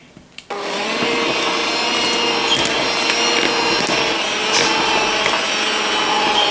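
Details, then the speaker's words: Stock Aldi Ambiano cordless hand mixer (no motor cooling fan, motor getting hot) in thick dough; high-pitched motor whir with beater scraping stays low and strained, motor bogging down under load. "as you can hear it's really bogging [Music] down I'm going to add a little bit of water to this because I think it's a little um there's not enough water in [Music] it"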